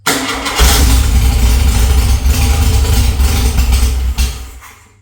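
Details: Air-cooled VW flat-four rebuilt from parts, no muffler fitted, timing advanced a little and slight choke to hold idle: cranks and catches, runs rough and uneven for about three seconds, then fades out and dies; won't hold idle.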